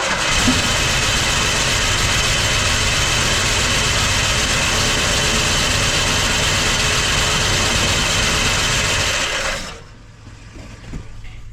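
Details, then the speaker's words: 1973 Ford LTD parked in a barn about 38 years, first start: harsh, clattery running with a fast, regular tapping about four a second until shutdown; noisy running after long storage. "it started sound a little noisy but it started"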